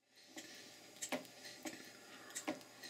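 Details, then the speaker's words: Mary model beam engine, first run after slide valve and eccentric timing set: light uneven clunks about once a second over soft running hiss; knock later traced to loose crank pin and missing cotter pin in Watts parallel motion. "The timing is more or less okay. There's a nasty clunk I'm not too thrilled with, but I haven't really had much time to look at that yet."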